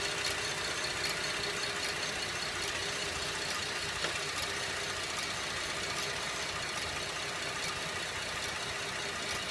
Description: 2011 Buick LaCrosse cxl is making a slow ticking/clicking noise. The noise seems to be slower than the engine but will speed up on accelerating. I have listened to it with a stethoscope and it has a metal sound.